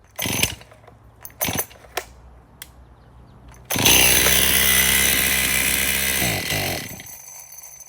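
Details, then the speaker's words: Stihl MS261 chainsaw, used trade-in, fresh fuel, bar and chain removed: a few knocks then screams at steady high rev with no throttle, won't idle; over-speeding, suspected air leak running it lean, fuel line suspect. "Well, that thing does run, but it's over speeding, and I'm glad I took the bar and chain off at first. That would have been extremely dangerous."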